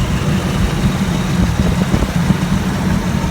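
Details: 1984 Toyota FJ60 2F, de-smogged, back on OEM exhaust manifold replacing aftermarket header: even, steady low-rumble idle with no knocks, misses or hunting; runs perfectly, fired right up.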